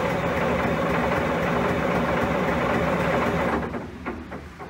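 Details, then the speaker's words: John Deere 770A motor grader diesel, sitting five or six years, ran when parked: even, steady cranking at nearly four turns a second then winding down; engine spins freely and is not locked up, before fuel checks and starting. "so it's not locked up I'm gonna go back there check for fuel and see if we can't get this thing fired up"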